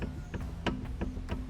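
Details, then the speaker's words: VW Golf 2 while driving: low growl and sharp knock about three times a second, like riding in a tram; rear wheel bearing worn out at end of life, fixed by replacing the rear bearings. "j'en écoute ça c'est pas bon ça grogne et ça tape là c'est vraiment à un roulement qui arrive vraiment en fin de vie"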